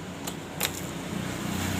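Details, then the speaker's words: Yamaha Mio GT 125 with no-start: original fuel pump stayed silent, but a fuel pump taken from another Mio gives a faint steady low hum under key clicks at key-on, priming normally. "full pump dari copotan motor lain langsung dengung."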